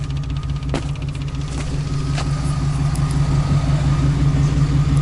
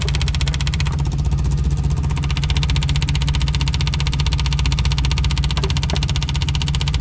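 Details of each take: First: Volkswagen diesel newly installed electric lift pump priming fuel system: steady low electric hum with faint even pulse, no stutter; pump moving fuel normally after earlier low pressure. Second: Old VW diesel after lift pump install while priming fuel system: steady rapid starter churning, about 100 pulses a minute, with no firing; cranks but won't start, low fuel pressure, possible leak, suspected not getting fuel.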